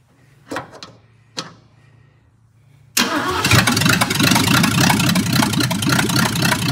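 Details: 1965 Ford Mustang coupe engine run without transmission, no exhaust, air cleaner off: starter cranks, then a loud open-exhaust idle with rapid rhythmic tapping underneath; knock persists, cause undetermined.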